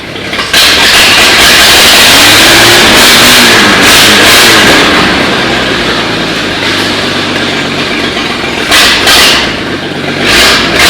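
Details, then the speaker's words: 1939 GMC COE 4x4 six-cylinder after fixing updraft carburettor fuel delivery and wet spark plugs and making a minor valve adjustment; it catches quickly, revs up and settles into an even beat with no misses or knocks. Normal running. "it was mostly fuel delivery issue there with that updraft carb so got that all sorted out she's running good now"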